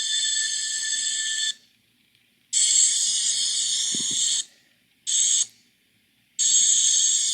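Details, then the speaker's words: Norfolk Southern train climbing Horseshoe Curve before a twelve-car derailment, steel-laden high gondolas ahead of two empty center beams: piercing squeal in bursts, steel wheels rubbing rail, rising higher and louder up to the derailment spot; cause suspected, not confirmed. "you can kind of hear the steel wheel on rail rubbing against the rail higher and higher in a higher and louder pitch right up to the spot of the derailment."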